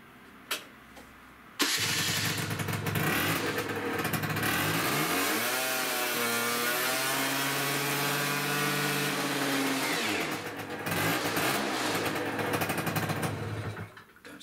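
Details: Peugeot Speedfight 50cc moped on fresh fuel with a 50 jet, after carb and exhaust work: it catches after a couple of seconds and revs up cleanly, pitch climbing and settling back; normal start and rev, variator next to fix.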